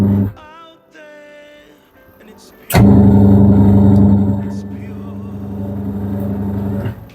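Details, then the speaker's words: Washing machine wash cycle after replacing a dead spin motor whose running winding had no continuity: steady low motor hum, no knocks or grinding; wash cycle okay. "cycle is okay, dear."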